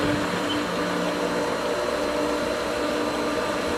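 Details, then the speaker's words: Pool pump at season opening as the winterized skimmer is opened and air enters the lines: steady rushing hiss with a thin whine and no firm pumping note; the pump is cavitating and has lost prime, expected to regain it shortly. "a lot more air the pump is cavitating"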